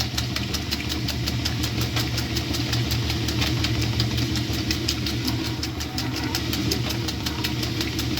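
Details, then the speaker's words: 1966 Frigidaire Rollermatic washer with new bellows and a modification, washing five oversized towels, slightly overfilled: low steady hum with soft even ticking about 160 a minute, nothing knocking or grinding; quiet, normal agitation. "now that check on this thing is pretty quiet"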